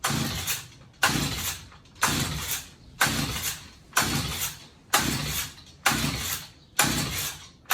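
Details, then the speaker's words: Stihl HS45 hedge trimmer found in hard rubbish, has compression, not seized: eight pull-cord rips about one a second, each fading with no firing; won't start, spark found very weak at the plug, new plug to be tried. "Yeah. So as you can see, it doesn't want to start."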